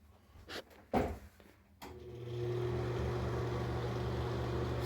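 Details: Dirty NuTone ceiling bathroom exhaust fan: a few handling clicks, then it spins up to a loud, steady, droning hum, still loud after disassembly and before cleaning and greasing the fan.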